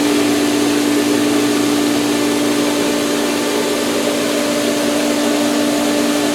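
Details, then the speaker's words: Pool pump just switched on in filtration mode at pool opening, camera leaning on the pipe: loud steady motor drone, firm mid-pitch hum, no pressure change yet; pump running before prime, plumbing shaking. "You just leave it in filtration and kick on the switch. So, here we go. Nothing's going to happen for a bit."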